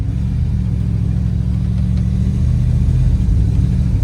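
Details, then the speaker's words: Dually truck with TBI, driving at about quarter throttle: steady low drone that breaks up and stumbles unevenly and won't pull; owner planned to adjust the timing. "Yeah, if you hear how it breaks up, I'm at about, I don't know, quarter throttle. It just does not want to go."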